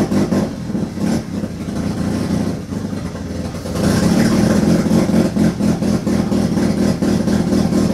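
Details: Turbo II FB RX7 rotary engine on its first real run, after leading/trailing coil checks; rough, uneven idle with loud erratic revs and a choppy beat about four per second, untimed and unsettled, smoking out the garage. Rough running.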